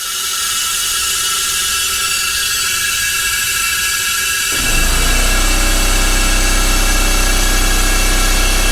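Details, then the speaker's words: Coolant vacuum filler on a 2011 Audi S4 B8 fitted with a 2013 CGXC 3.0T supercharged engine: airy hiss holds steady, then drops into a deeper, louder roar, indicating maximum vacuum reached (or tool failure) before coolant is drawn in. "this noise pretty much indicates either either the failure of this tool or typically it indicates that I am reached the most vacuum that I can pull from the system"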